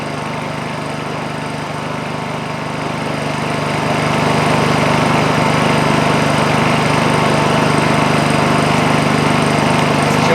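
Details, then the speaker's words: Honda EU2000i inverter generator that would only run a second, after replacing a completely plugged muffler: smooth even note that throttles up under a drill load and settles, no surging or stalling; runs normally after repair. "as you can hear it pick up uh throttle up a little bit under the load of the drill not bad that's that's not bad at [Music] all"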